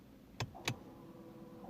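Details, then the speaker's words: 2015 Honda Civic rear electronic parking brake caliper motor driven by battery and two wires: two sharp clicks then short even motor whir as brake applies; working normally. "I hope you can hear in the video I'll check it later but you can hear now it's applied"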